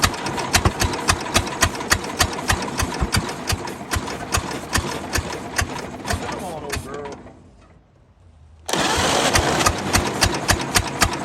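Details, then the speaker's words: 1929 Ford Model A four-cylinder, abandoned 75+ years, after timing advanced: slow, uneven popping idle around 220 beats a minute that dies away and picks back up; something is still stuck, running on about half a cylinder. "girl she's a runner but not a good runner yet let's see is that thing that thing is still stuck what's up with that I mean it's like the 49th pound we've done this you think You' get the point across we are running on like half a cylinder but you know she's doing pretty good for that"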